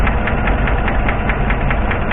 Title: Engine Knocking Noise || Valve Lifter Noise